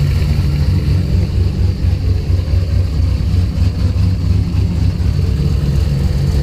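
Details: Heavy, lumpy low rumble; the rough idle never settles. Lost coil/distributor spark was restored by moving the wiring loom. Fuel pressure was 50 after prime and over 60 during prime. The engine cranks healthy but sneezes fuel and runs really rich; the cause is unconfirmed.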